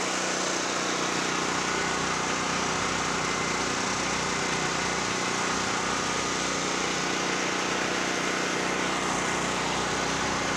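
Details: Generac GP5500 generator, formerly a no-start (brake-clean straw in the carburetor; on-off switch suspected), warm and loaded with a 1,500 W heater plus 1,270 W heat gun, checked on a kilowatt meter: steady, even drone holding speed, no misses, surges or knocks. Normal running.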